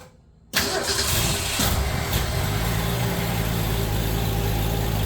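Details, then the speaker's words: Fox Body Mustang that has sat a long time: starter cranks steadily with even chugging but never fires; fuel pump heard and fuel pressure present, owner suspects stale fuel or no spark. "just a crank it's fueler spark I would think I am hearing the fuel pump I do get fuel pressure so maybe it's not good fuel if he's been sitting for a while"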